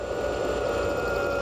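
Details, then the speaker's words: Truck at smooth idle while the battery is deliberately loaded: alternator output rises from about 20 amps at idle, producing a steady high-pitched singing whine near blowing a fuse; alternator whine under heavy electrical load. "Hear it singing? Woo, shut it off, we're fixing to blow a fuse. Imagine your motor doing that when it's actually loading up on that. I mean, that's not only gas mileage, it's killing the alternator, isn't it?"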